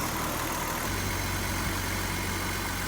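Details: BMW 330i, 18 years old, sat nine years, new fuel pump and sending unit, cleaned injectors; running with intake off. Steady even idle with a faint light tick on top; runs smoothly overall, engine sounds healthy.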